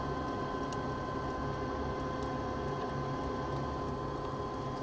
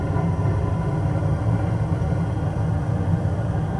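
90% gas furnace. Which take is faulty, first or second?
first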